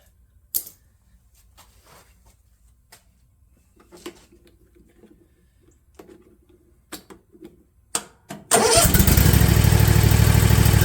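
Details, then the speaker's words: Husqvarna Z254F zero-turn mower after a tune-up and new starter, solenoid, fuel pump and fuel shut-off valve (the old valve was possibly plugging): a few quiet clicks, then it starts and settles into a steady, even, healthy idle. "and it does excellent"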